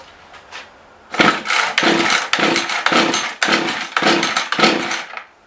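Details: Mantis rototiller two-stroke that won't rev up: raspy engine surging unevenly about twice a second, never settling, then dying; owner first suspected tuning or a dirty carb, later traced to bad gaskets.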